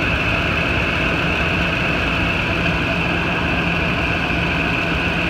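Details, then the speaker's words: 2008 Ford F-250 idling after its serpentine belt tensioner was replaced, having squeaked and grown a grinding pulley. Steady, even low hum with a faint constant whine and no growl or chirp remains; the repair is successful. "I hear no noise they're my flashlight what's enough gone around for a second I don't hear the growling noise that I heard the warning and seconds just motor well this is nonsense [Music] look good running good"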